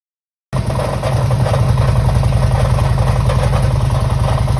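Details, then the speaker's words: 2005 Harley-Davidson Electra Glide V-twin at idle, warm, restarted after a roughly 200-mile ride when the noise first appeared. Loping idle with a fast, steady clatter over each beat, about three per second. Worn hydraulic lifters, which were then replaced. "That noise, it didn't do it at the bottom of the drive, it hadn't done it all day, just started when I started it back up outside the garage door."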